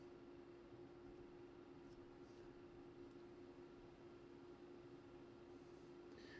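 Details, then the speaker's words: National Panasonic RF-7270 radio under repair: faint, steady hiss with low hum and no station; amplifier works but no signal reaches it, 10.7 IF not yet getting through. "I can hear some hiss. So, the amplifier is working. It's not very loud."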